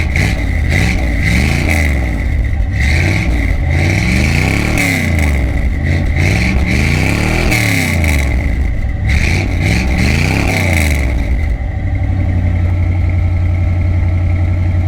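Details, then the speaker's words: 1980 C3 Corvette V8 with Flowmaster 40 exhaust, cold start: deep lumpy idle, each rev blip rises then abruptly cuts out; carburetor problem suspected, exact cause unknown. "And you heard in the exhaust clip, the way it just cuts out like that. The carburetor is not getting any better, obviously. It's not going to fix itself."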